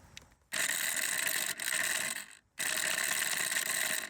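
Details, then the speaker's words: Intex pool pump, two seasons old, opened after jamming from a broken motor balancing rod, run dry without water: harsh, rattling mechanical roar in three bursts with short pauses; running rough, owner thinks because there's no water. "all right now that still sounds terrible but I think that's because there's no water in there"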